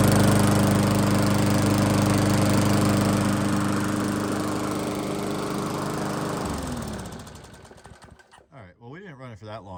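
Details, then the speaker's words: Free 22-inch Weedeater push mower, secondary mower prone to running hot, after seasonal tune-up: oil burning off, small single-cylinder engine runs steady and even with a clean drone, then shuts down and coasts to a stop; sounds good, normal running. "let it run let it run just see that's all just oil that's all just oil burn it off and have sounds good"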